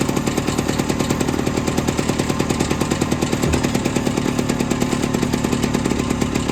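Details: Off-road machine with a fuel pump, usually hard to start after sitting about a month, fired with ether and a jump pack: steady, quick buzzing exhaust beat with no stumbles or misses. Normal running.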